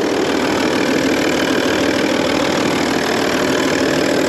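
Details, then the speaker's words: 2002 Audi A6 C5 Avant Quattro, 2.5 TDI V6 diesel, first start on a freshly charged battery: rough start, then a steady, clattery, tractor-like idle, gruff with a faint uneven tick and no clear knock or funny noises; rough old-diesel idle. "That is a rough start for sure. Okay, so, I mean, there's no kind of funny noises. I mean, these old diesels do sound more tractor-like than their modern counterparts, but yeah, I mean, it doesn't sound horrendous."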